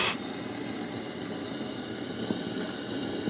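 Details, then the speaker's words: Sage/Breville Barista Express after repair: a faulty solenoid had taken out the TA4 triac and Q7 transistor on the PCB. Once these were replaced, a steady, even hiss of steam and hot water with no sputtering shows normal hot water dispensing restored. "Uh so that's why it wasn't switching to steam into hot water. And look at the steam now and hot water."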